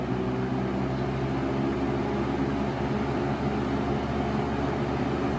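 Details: 1996 Lakewood 223 3-speed 20-inch third-gen box fan, before restoration, on medium speed: steady even rush of air with low motor hum, no rattles or ticking; smooth, no vibration, pleasant sound.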